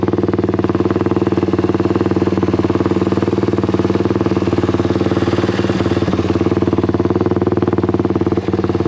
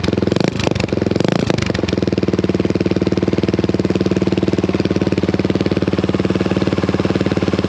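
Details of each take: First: Honda XL175 single-cylinder after fitting an aftermarket replacement muffler: steady thump at about three pulses a second, deeper and even with no misses or rattles; a different, deeper note but barely quieter. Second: Honda XL175 single-cylinder motorcycle with its old muffler, before fitting a replacement muffler, idling after a blip: harsh ear-piercing thump, very loud for a single; poorly silenced exhaust suspected.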